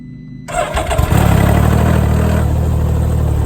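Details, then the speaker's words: Can-Am Ryker at about 4000 miles, cold start: the engine catches and a buzzy rattle rides over the first second of idle, then settles; a loose front hood shield that stops rattling when held, cosmetic only. "so when it first started you can hear that rattle and then also when I grab on to this shield here in this hood it stops the rattle so it's mainly just cosmetic stuff that's rattling"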